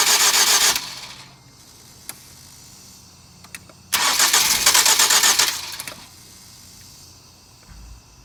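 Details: 2007 Ford Focus that won't start in the cold but starts all day once running: two bursts of starter cranking with no catch, then quiet; cranks but won't fire when cold, starter suspected, not confirmed.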